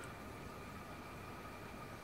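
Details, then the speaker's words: Imax B6 mini charger cooling fan after disassembly and lubrication with thick Litol-24 grease to cure an annoying hum, running during max-current discharge of a lithium battery: soft steady whir, only slight noise, no hum or rattle; normal fan operation. "слышим вентилятор смазанный видно как крутится надеюсь что видно только шум небольшой но никаких посторонних звуков не наблюдая можем считать что смазали мы его"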